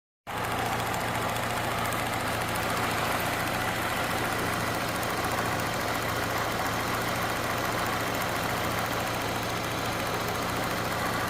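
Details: Peugeot 207 1.6 VTi petrol engine at idle: fast, light ticking through the even hum, seemingly from the right side.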